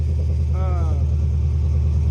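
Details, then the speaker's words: Car idling normally after the exhaust leak was tightened: steady, even low rumble with no ticking or puffing from the exhaust side; engine sounds healthy. "But other than that, car is running perfectly fine."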